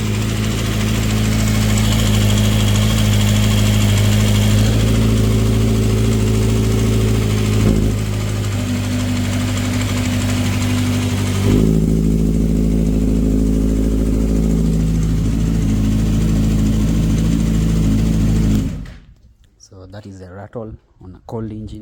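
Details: 2012 Kawasaki ZX6R on cold start: light, busy metallic rattle from the side of the engine, a loose timing chain caused by the cam chain tensioner; fades when warm but slightly audible on revs; adjusting the tensioner fixed it.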